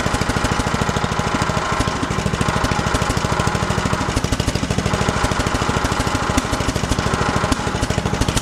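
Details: 1974 John Deere 112 with newly swapped 16 hp Kohler K341 (replacing 12 hp K301), just started, fixed throttle: loud, fast, steady firing beat with constant pitch, holds speed evenly, engine noted as shaky; normal running.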